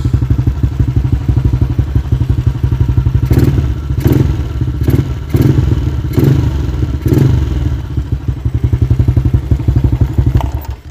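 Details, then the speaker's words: Yamaha LC135 V8 FI motorcycle with an up-spec 62 build: an even, crisp idle with several quick throttle blips rising and falling cleanly; quiet engine with slight carburetor slide noise; healthy. "Inilah bunyi dia. Enjin senyap sahaja. Bunyi slide carburetor sikit."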